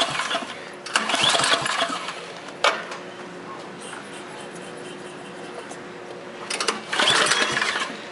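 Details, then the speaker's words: Craftsman snowblower, first cold start of the season with light black smoke: small engine catches, then sputters and surges in uneven bursts; rough cold running, expected to smooth out as it warms. "That sounds horrible. Expect it to run like this for a little bit."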